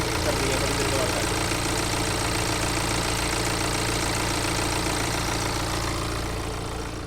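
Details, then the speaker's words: 2017 BMW X1 at idle before major service with timing chain replacement, chain found loose; steady ticking about three or four a second over the hum, heard from the fan belt side, cause suspected, not confirmed. "और timing side से आवाज आ रही है —माफ़"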